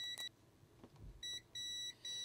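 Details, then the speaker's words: Multimeter continuity beeps between the ground and 5V sides at C5 on a Commodore 1581 drive board; short high steady beeps in a quiet room, a few bursts in two seconds, confirming a good connection, so not a problem on this board. "so that's the ground side and that's the 5vt side and that is definitely connected so on this board that is not a problem"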